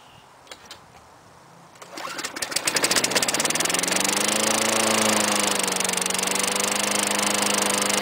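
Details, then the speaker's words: 2001 Lawnboy 10360C mower, Tecumseh 5 hp four-stroke, rarely used, cold start at 15°C; after a few pulls it catches and settles into a steady even putter, starting cleanly and running healthy. "climing nothing seems to be wrong with my tumpies they start great"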